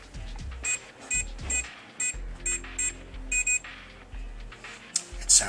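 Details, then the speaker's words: SecuRam ECSL-0601A SR1 electronic safe keypad: six key-press chirps, then two very quick beeps as the lock rejects a wrong combination and stays locked. "It's two very quick beeps. Beep beep indicates that the lock was actually open. It didn't accept your combination."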